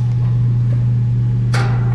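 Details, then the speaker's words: Carrier AC condenser not cooling; compressor tries to start drawing about 32 amps then drops to 0.62 A with only fan running; loud steady low hum, compressor not catching; technician suspects bad capacitor; compressor hums but fails to start. "just tried to start when i you seen like 32 amps now it like point six two amp that means just that fan is running but i heard that i think we got a bad capacitor i just heard a hub and we went up to like 32 on the amps"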